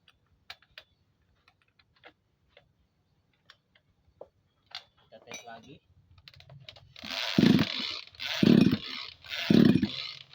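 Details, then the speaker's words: Tanika sprayer engine that is hard to start, with good spark but a wet crankshaft seal: three hard recoil pulls, rough whirring rasps about a second apart, never fires; crankshaft seal suspected. "Masih belum menyala, kan? Mari kita bongkar mesinnya. Sampai sekarang, perangkat itu masih tidak mau menyala."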